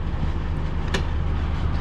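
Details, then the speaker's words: PTAC air conditioner on a service call for poor cooling and vibration, running after the loose unit was secured with screws: steady even low compressor and fan hum, no rattles or buzzing, before fan-speed testing; normal running. "sounds good and we are running all right let's test the fan speeds"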